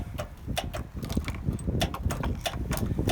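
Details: Zero-turn riding mower: sharp clicks about three a second with no cranking; the engine won't start, the starter is faulty and gets replaced.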